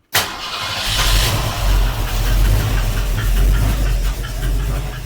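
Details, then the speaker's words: 1971 Mercury Comet GT with freshly installed 347 stroker V8, mufflers just fitted, headers warm: rough heavy-bass idle with a faint regular tick from the passenger side; owner suspects a header gasket or rocker, unconfirmed. "I hear something ticking. There's something clacking or ticking over on the passenger side. I wonder if that's a header gasket or a rocker making noise."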